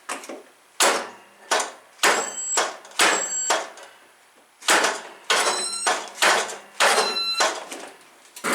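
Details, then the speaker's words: Craftsman T2500 mower, 19 hp Briggs engine, very hard to crank: about a dozen short starter bursts, each dragging then stopping hard on compression; valve adjustment first suspected, but the compression release proved broken. "just does not want to get past the compression stroke so more than likely it's just because the valves need to be readjusted"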